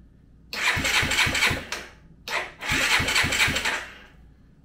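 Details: Kawasaki Bayou ATV engine after rebuild, with no spark plug lead, intake or exhaust fitted: even, brisk cranking at a steady chuff rate in two short bursts, no grinding or hesitation; turns over cleanly.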